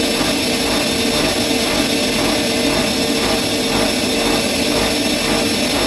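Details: Bosch Maxx 6 washing machine after motor bearing replacement, drum bearings still good: loud steady roar at full spin with a rhythmic whoosh about once a second; drum noise at high speed, which the owner believes means the drum is broken.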